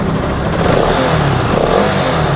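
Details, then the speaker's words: Bajaj NS 200 BS6 after coil replaced for battery charging problem: engine keeps running with steady even beat, no misses, even with main battery wire disconnected; charging 13+ V, confirming rectifier good. "Main wire ಬಿಚ್ಚಿದ್ರೆ ನೋಡಿ, main wire ಬಿಚ್ಚಿದ್ರೆ ಗಾಡಿ of ಆಗ್ತಾಯಿಲ್ಲ."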